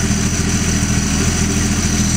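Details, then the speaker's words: Holden 161 straight-six cold start: a steady, even idle with a smooth low pulse and no knocks, ticks or misfires, vibrating less than another engine and sounding healthy. "Sounds wonderful, doesn't it? Yeah. A lot better than the other one."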